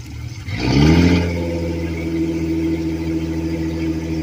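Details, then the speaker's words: Suzuki 4-stroke 250 outboard at a boat yard, rebuilt with new head gaskets, first start-up: brief crank, catches, revs up and drops back to a steady even idle with a smooth hum underneath. "My main man Anthony rebuilding a Suzuki 4-stroke 250, new head gaskets. I'm about to start it up."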